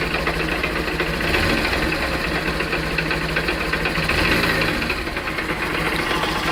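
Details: 2013 Honda CBF 125, 15,000 miles, idling with a rapid harsh mechanical knock; oil level fine; cause was a small crack in the ring gear around the clutch basket.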